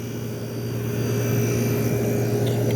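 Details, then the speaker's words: 1973 GM Frigidaire 11,600 BTU air conditioner, compressor dated January 1973, rusted rotted pan, first run: steady low hum with smooth fan rush, no knocking or rattle, blowing ice cold; compressor running normally. "but yeah everything sounds good the compressor sounds happy"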